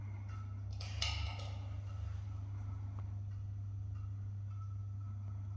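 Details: Building stairwell light fixture, recorded with a GoPro: constant low mains buzz with a few faint clicks, steady throughout, while the light flashes; buzzing fixture.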